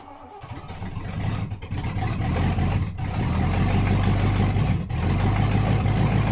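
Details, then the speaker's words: 1988 Ford Crown Victoria, first start after head gasket replacement and top-end rebuild, timing reset, loose plug wire reseated: low rhythmic cranking about three turns a second with brief half-fires; cranks but won't start, timing not yet set. "So after resetting the time, here's trying to start my car."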